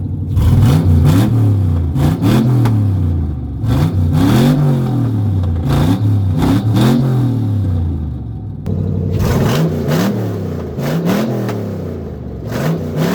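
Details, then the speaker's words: 6.0 LQ9 V8 (2004 Escalade donor) LS-swapped into 1975 Suburban, first fire with no exhaust and no cooling system, short run; loud raw bark through open ports, uneven revving blips, rough but alive. "Has no cooling system or anything right now. So, we're not going to run long. No exhaust. There it is."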